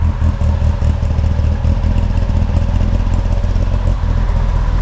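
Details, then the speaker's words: Warm Triumph Spitfire, just revived and up to temperature: uneven, lumpy idle with a slightly hunting rhythm. Rough idle; the carbs still need setting up. "m5 had it running for a little bit now all up to temperature all the gauges work still a bit rough but the carbs need setting up"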